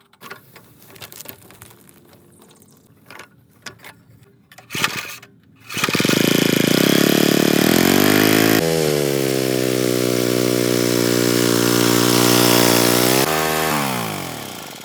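A few faint taps, then the small single pulls to life and settles into a steady, even run that winds down cleanly.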